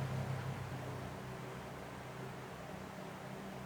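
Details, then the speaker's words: Electrolux washing machine motor with three U-V-W terminals, run unloaded outside the machine: low hum pulsing unevenly three to four times a second, a jerky start that is normal unloaded and smooths out once installed under load. "Cái loại motor mà nó chỉ có 3 chân UV kép này thì khi mà chúng ta lắp ở bên ngoài như này nó khởi động nó sẽ giật các bạn nhé, nó giật như kiểu gà mắc tóc ấy."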